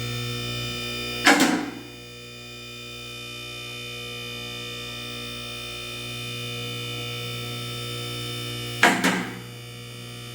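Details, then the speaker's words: Budget 2-post car lift filled with AW32 hydraulic fluid; steady pump hum with sharp double clicks as the two column safety locks catch slightly out of sync, one popping just after the other; fix is shimming one column with a plate. "So, if you guys hear that, that is the locks actually locking in to these little slots right here. So, as you can hear, this one's popping and then this one's popping slightly after that."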